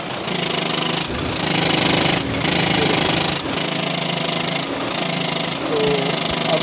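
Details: VW Vento 1.5 TDI diesel with DSG 7-speed transmission at idle: harsh, unevenly pulsing metallic rattle, described as a very dangerous noise, from play in a failed dual-mass flywheel; flywheel replacement is the fix.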